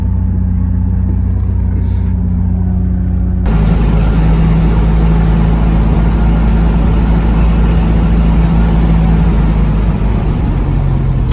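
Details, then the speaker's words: Nissan 350Z after finally fixing a long-running no-crank, no-start problem traced to a cheap, previously replaced part (cheap AutoZone Duralast starter previously fitted). Catches at about 3.5 seconds, then a smooth, steady low rumble; healthy start and idle. "Yo, that sounds so much better than a rolling start. You know what I mean?"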